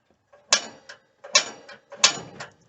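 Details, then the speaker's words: 1990 Chinook 18+ camper stove burner piezo igniter. Three sharp snapping clicks about a second apart, each followed by a brief rattle, as the burner lights; normal piezo spark. "there we go with our little piezo spark"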